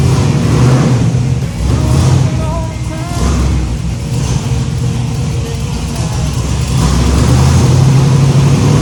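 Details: Freshly built 409 cubic inch small-block Chevy V8 in shop truck, just primed and timing set, running after rebuild: deep rumble pulls through a couple of smooth revs and settles without misses or knocks; normal running.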